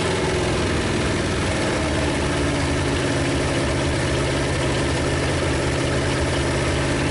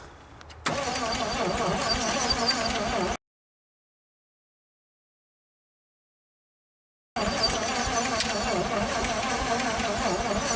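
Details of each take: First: 1956 Studebaker Golden Hawk V8 on first start: low, even, slightly rough idle rumble, all cylinders firing, no knocks or rattles. Smoke is PB Blaster on the manifolds. Owner thinks it just needs running and plans compression tests and probably a valve check. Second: 1956 Studebaker Golden Hawk fitted with AC spark plugs meant for a Chrysler: steady, even, easy cranking at about three turns a second that never catches. No-start; owner suspects compression problems and plans a compression test.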